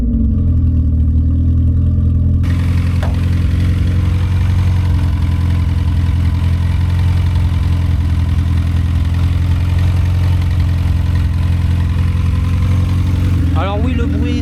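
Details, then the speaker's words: Volkswagen Polo 6N after fixing its cold idle problem, cold start: engine catches and settles into a steady, loud idle with deep exhaust rumble, loud because the exhaust line needs redoing; idle regulates well, normal cold start. "Elle a bien démarré, nickel. Elle régule super bien."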